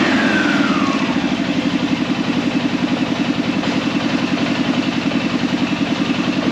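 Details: Arctic Cat Prowler engine just rebuilt with new pots (cylinders), first start after priming the carb: even, quick exhaust pulses holding steady, no misses, knocks or rattles; running smoothly and healthily.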